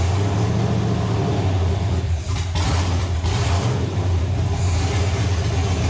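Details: Nova engine restarted after six months of troubleshooting, with readings around 300-400: deep, steady rumble, all cylinders firing evenly, no misses or knocks. Runs healthy; a possible wiring issue remains.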